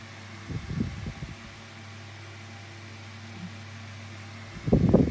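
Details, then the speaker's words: 2000s Tesco DF96 9-inch desk fan on lowest speed with oscillation on; steady low hum broken by short bursts of clicking as the head swings, yet it oscillates fine; clicking while oscillating. "so you can listen to it now and that's the clicking noise it makes but it oscillates about that way perfectly fine"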